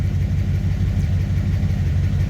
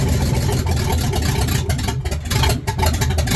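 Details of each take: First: Ford Ranger with a newly installed V8, idling after a ground wire was reconnected, 25 psi oil pressure at idle, wideband running: deep, steady idle with an even low pulse, no knocks or misses; healthy. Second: Ford Ranger with a newly installed V8 on open headers, first start: loud, uneven idle with stumbles and dips from a dead cylinder, #8 injector unplugged and the PCV left disconnected.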